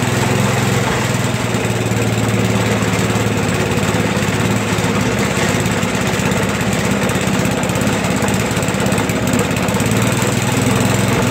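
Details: Toro 421 snowblower, rusty, first cold start in about 2 years, started in a couple of pulls after fuel turned on: small single-cylinder engine buzzing at steady speed, even, no misses or surging; running healthy.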